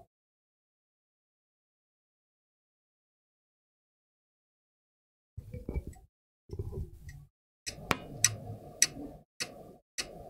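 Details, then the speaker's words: HP G60-214EM laptop board on a bench supply at 19 V, limited near 2.2 A: steady clicking about twice a second as the supply cycles in current limit from a short circuit; faulty MOSFET suspected. "so the power supply is clicking that means it's just shorter somewhere"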